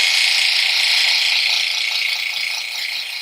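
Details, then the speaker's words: Vacuum pump evacuating a 1939 GE flat top refrigerator after its broken compressor was replaced with a modern one, run about half an hour, pressure holding steady: high buzzing hiss with fast even pulse, three or four beats a second; normal running. "and I got the vacuum pump running down here going to vacuum and go on for about a half hour now"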